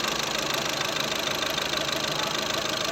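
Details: Skoda Rapid diesel after injector replacement and a roughly ten-minute electronic injector process: an even, steady idle with a light regular injector tick and no heavy knocking. The earlier slight knock is gone and the engine runs smoothly.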